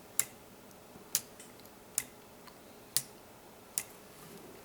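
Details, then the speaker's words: Homemade weight-driven pendulum clock with escapement, gear train and auto wind-up chain: crisp, sharp, evenly spaced ticks about once a second; escapement ticking normally. "the weight of the pendulum brings it back to the center so that the next escapement um blade or whatever you want to call it strikes the other side and just makes that clicking noise that tick tock"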